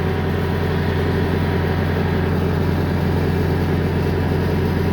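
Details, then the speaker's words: Bobcat skid steer loader after fixing a starting problem where the controller wasn't communicating with the display: steady, even low diesel idle, no knocks or hunting, display normal, no error codes; normal idle. "so machine is started so viewers you can see so now a display is coming everything is okay"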